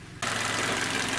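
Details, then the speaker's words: Hyundai Elantra 1.8 G4NB after engine overhaul with new oil injectors, warm at about 90°, mileage 143,994, idling indoors with hood open: even, smooth idle, steady low hum, no ticking or knocking; runs normally though one fault code remains. "вот друзья мои машина работает но внутри помещения всегда звук по-другому друзья если на улицу выйдем практически работает отлично"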